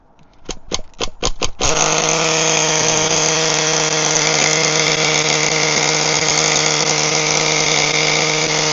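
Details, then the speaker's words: HPI Firestorm 1/10 nitro stadium truck, previously seized engine now fixed, preheated: a few pull-start rasps, then a steady crisp high buzz; running well with good compression. "now that I'm happy that the engine is complete and running really well with some good compression"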